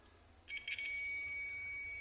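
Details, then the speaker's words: Magnetic contactor tested with a digital multimeter in continuity mode: brief scrape then a steady unbroken high beep across the normally closed contact, showing continuity; contact closed and good. "जैसे हमने black पर आपको दूसरे contact के साथ connect किया तो हमें भी सुनाई दे रही है तो इसका मतलब है ये नॉर्मली जो क्लोज है ये नॉर्मली क्लोज ही हैं"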